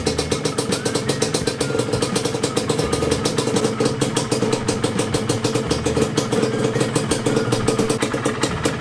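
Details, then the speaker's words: Yamaha DT125 two-stroke after a top-end rebuild, warmed up at idle: a crisp, even popping at a steady rate with no knock or piston slap, quiet now; the piston rings still need break-in. Normal idle. "wala nang nagnanak kapag idle. Tahimik na."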